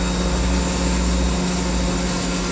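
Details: Electric fire pump on emergency generator power, 170-180 psi, flowing water out the main drain: steady, even drone with constant low hum, no knocks or surging; running smoothly under load.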